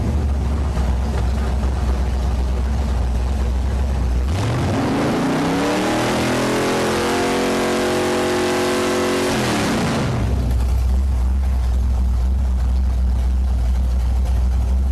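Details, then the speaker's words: V8 after MSD 6AL-2 ignition install with Blaster 2 coil and billet MSD distributor, timing set: steady even idle at 1,000 RPM with one clean blip, 20 degrees initial with light spring, 35 total; normal idle. "it's idling at 1,000 RPM. I've got 20 degrees initial in it because I put a really, really light spring in the MSD distributor."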